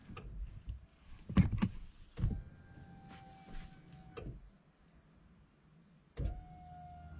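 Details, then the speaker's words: VW Passat B7 2.0 TDI CR, fuel pump run via a diagnostic scan tool: clicks, then an electric hum in bursts as it builds pressure and pushes air back to the tank. Normal priming. "Idzie pompa paliwa. Słychać jak buduje ciśnienie. Powietrze się przepompowuje do zbiornika."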